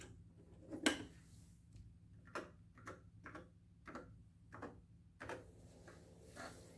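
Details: TRS-80 Model 4 booting after a CRT replacement, with disk drives previously repaired and power-supply RIFA capacitors replaced. Low drive motor hum under scattered light ticks and sharper clacks as the head steps. Normal floppy drive seek and read.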